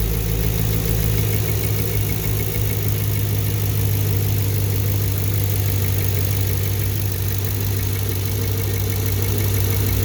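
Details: 2014 Camaro V8 at idle: a deep rumble with a light, quick tick at engine speed. Teardown of the valve train and head confirmed a bad lifter.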